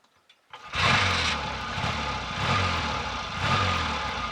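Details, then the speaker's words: Triumph T140 twin after sorting ignition faults (plug leads swapped, points wiring traced to coils); brief crank, then an even steady beat with gentle swells, running evenly on both cylinders. Normal idle. "i'll also demonstrate that it's running evenly on both cylinders i hope"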